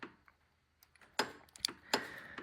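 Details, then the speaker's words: 2006 Dodge Durango, A/C clutch relay pulled and its pins jumped with a paper clip: sharp paired clicks as the compressor electromagnetic clutch engages and disengages normally, so the clutch tests good. "that's our AC clutch over here uh engaging in disengaging you can see it moving right there so we know that the electr magnetic clutch inside that uh compressor is working correctly"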